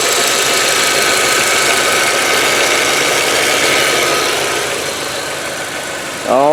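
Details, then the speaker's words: 2003 VW Passat sedan, 1.8 turbo four-cylinder, five-speed manual, warm day, mic at open engine bay: steady, even idle under a strong fan hiss with no knocks or misses; normal healthy idle. "there it is 1.8 turbo motor four-cylinder all right and I'm just gonna be quiet let you have a listen now"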